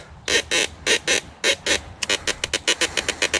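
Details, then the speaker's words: Kaabo Mantis Pro SE electric off-road scooter ridden over rough ground: sharp creaking bursts from the steering stem, about two a second and quickening; the stem collar has worked loose and needs readjusting. "great getting a creaking noise out of the stem listen to this"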